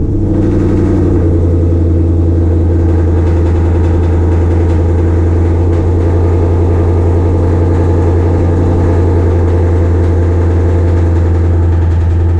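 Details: 2020 Shelby GT500 Mustang, first start after a Whipple 3.8 supercharger install, not yet at operating temperature: smooth even idle with a steady low drone and no knocks, ticks or squeals.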